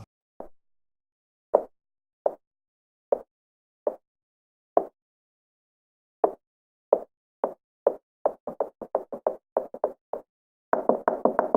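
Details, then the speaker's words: HP Spectre x360 15 laptop, recorded with a phone microphone: light plastic clicks and rattles with every trackpad touch, from slow single taps to fast dense bursts; the trackpad rattles on each use. "rackpad each time you use it it rattles which is so sad to see and hear because everything else about the laptop is such a premium quality laptop but it rattles and listen to this"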